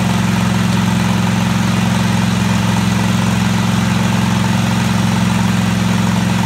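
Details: Craftsman DGT 6000 engine reassembled, new quarter-inch fuel line and fuel pump fitted, first start after taking a while to fire: steady regular idle about four pulses a second with firm low hum, no stumbling or knocking; normal running.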